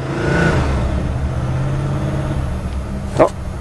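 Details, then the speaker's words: Chevy with carbureted four-barrel 305, first run after about 7-8 months sitting, cold winter day: already running with a deep, even low rumble swelling on throttle and settling back, no knocks or misses; normal start and rev. "wow it's been like 7 months since this thing's been running maybe eight"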